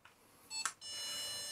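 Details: Whirlpool 6th Sense PowerClean WFC3C24PX dishwasher, about six years old, beeps after about 2 minutes with red tap logo: short beep then steady high tone; no water enters, aquastop valve apparently getting no power; no-water-inlet error.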